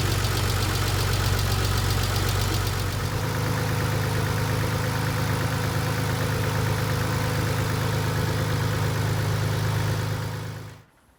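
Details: 1990 Nissan 300ZX twin turbo with used JDM engine, after fixing lifter ticking traced to a dented oil pan: steady, even idle with smooth low hum and no ticking; normal idle after repair.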